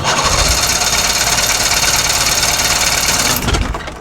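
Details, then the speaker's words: 63-year-old boat engine after rewiring magneto and tach leads, fuel leaking from carb; fast steady cranking that never catches, seemed to spark at the end and sounded different than before; no-start cause unknown. "That sounded like it sparked at the end. Did you hear it? It's like, no. Like wanted to go. It sounds different than it did last time."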